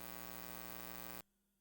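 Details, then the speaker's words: Harsh, steady electrical buzz with low hum in a live-stream audio feed, cutting off abruptly; ground-loop-type noise from an aux cable left plugged into an Elgato Chat Link Pro and a Wii U gamepad. "I give you an example um this is what you'd hear yeah isn't that annoying that that buzzing sound"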